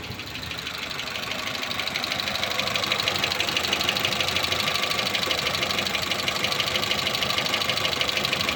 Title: Renault twingo 2 2010, d7f engine, ticking noise